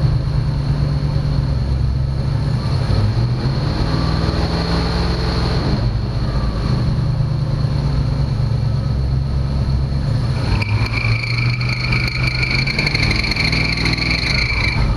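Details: 1965 Mustang during no-start diagnosis (owner suspects coil resistor), held at raised idle around 2000 rpm while ignition timing is set; steady, even drone with no misses or knocks, running cleanly.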